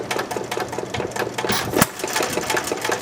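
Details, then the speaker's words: 1919 Domestic side-shaft hit-and-miss engine, timing adjusted slightly ahead: crisp, regular chuffing beats at a steady rate, no misses or heavy knock; running well. "You put your finger on that, you don't even hear this thing moving."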